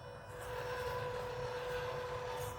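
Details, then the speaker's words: MN128 RC Jeep running: a steady high gear whine over the motor hum, seeming louder when turning than going straight. Loud drivetrain whine; owner suspects transmission through the body mounts, unconfirmed. "and it seems a little louder when you actually turn then when you're going straight for some reason"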